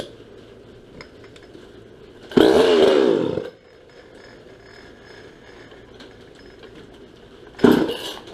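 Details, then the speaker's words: Restored, ported and repainted 1977 Poulan Micro Super XXV Deluxe chainsaw: quiet steady idle broken by two sharp clean revs to a high scream that drop straight back; normal running. "just thought I'd share how startled to show you what this thing sounds like sounds a lot meaner than it really is"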